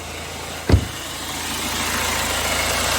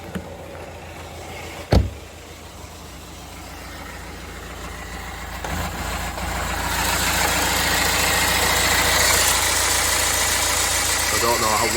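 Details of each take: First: 2009 BMW 320d diesel with 443C cylinder 3 injector misfire fault and engine light, now idling steadily with an even low hum, not misfiring at present, after one handling knock — smooth idle. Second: 2009 BMW 320d diesel, parked nine or ten months, engine light on and down on power: an uneven, lumpy idle from a misfire, with code 443C for the cylinder 3 injector activation; a possibly rough pulley or idler is also suspected.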